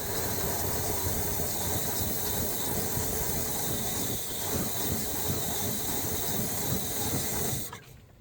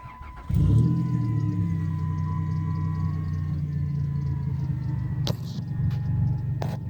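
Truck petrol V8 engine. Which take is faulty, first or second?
first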